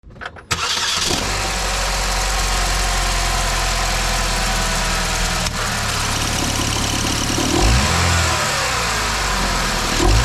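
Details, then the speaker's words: 2009 Chevy Malibu: engine starts into a busy idle with light rattly chatter and brief squeak on throttle blips from the right side of the engine, caused by a weak belt tensioner. "When you start it up and you goose the gas a little bit, you get a little squeak rattle coming from the right side of the engine, and a lot of times you'll notice that the belt tensioner seems weak, and that's pretty much what's going on."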